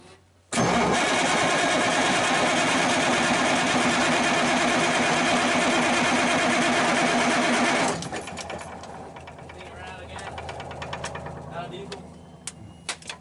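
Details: Circa 1991–92 Kenworth truck with Cummins 350 Big Cam diesel, not run in years, first start attempt: about seven seconds of steady, even starter cranking with no catch; cranks but won't fire, fuel supply suspected, pump priming next.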